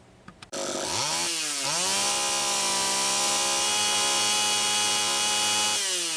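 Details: Homelite Super EZ two-stroke chainsaw after tightening the three loose intake block/reed valve screws and sealing the gasket: catches, revs up and holds a steady high buzz with no surging or hunting; runs evenly.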